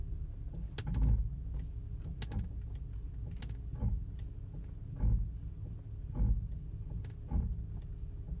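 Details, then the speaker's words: 2012 Honda Pilot with highway vibration and rumble after about ten minutes driving; stopped, slow irregular low groaning creaks about once a second from the brakes; a sticking front caliper. "so rumbling sound car shaking and it kind of changes when you step on the brakes that's why I'm I'm leaning more towards like a caliper sticking or something"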